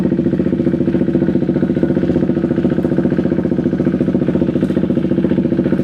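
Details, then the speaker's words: KTM Duke 390 V2 single, after tapping the stuck fuel pump back to life: steady evenly spaced thumping idle holding speed without faltering or dying, starts on one click; normal idle. "So far so good. Hindi na namamatay yung motor tapos one click lang andar agad."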